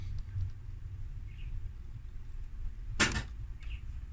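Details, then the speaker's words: AU Ford Falcon, DIY body control module workaround, applying power to BCM wires: quiet background, then one sharp clunk about three seconds in as the boot release actuator fires and pops the latch; boot release actuator operating. "There, you can hear that. Open the boot up. The rest of them do nothing."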